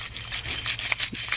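A dry, gritty rubbing and scraping as the loose hub bearing is turned by hand.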